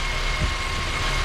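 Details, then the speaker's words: 2012 Honda Civic natural-gas engine with a cylinder 3 misfire (P0303, count climbing): low, rough idle with an uneven beat as one cylinder drops out; cause still unknown. "we have this um 2012 honda civic it has a misfire on cylinder number three and the interesting thing is it's natural gas"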